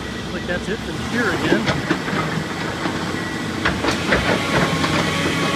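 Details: Heavy excavator on a demolition job (not the shear) making irregular heavy clunks and knocks, about two a second, through the running machine; something inside the machine sounds badly and expensively wrong.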